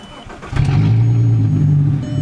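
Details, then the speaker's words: VW Mk4 GTI, after replacing a cracked ignition coil module, fouled spark plugs and plug wires to fix a cylinder 5 misfire: quick crank, catches cleanly, settles into a steady, even idle with no stumble; misfire gone, normal start and idle. "let's get these put on clear the code start the car misfire should be gone"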